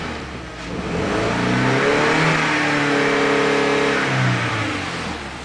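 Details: Audi A4 engine revving up and settling with a slightly uneven, stumbling beat through the rise, suggesting a cylinder misfiring under throttle.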